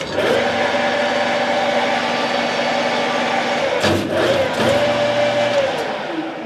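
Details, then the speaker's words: Eisen 13x40GHE lathe after vibration fixes (added washer, chip pan bolted to headstock and tailstock): steady mid-pitched gear whine with a faint tinny rattle from the light-gauge chip pan near the readout wires. Normal running. "all you hear now is gear noise you're hearing this gear noise right here there is some vibration in the pan"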